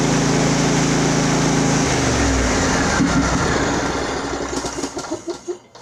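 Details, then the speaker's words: Craftsman riding mower, Briggs engine, throttle slowly opened: uneven lumpy running that sags and dies within seconds; owner suspects air sucked at the fuel filter, carburetor to be inspected next. "Well, it's got its issues. It's probably nothing we can't figure out."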